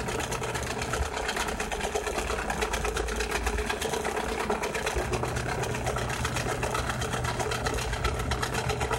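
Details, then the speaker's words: Samsung washing machine with tub removed, during spin: harsh, rattly drone runs steadily instead of the near-inaudible hum it should make; the drain pump is defective and failing. "este es bueno la bomba de acá está defectuosa por eso tiene ese sonido normalmente debería solamente zumbar casi imperceptible al oído pero ahorita está sonando horrib"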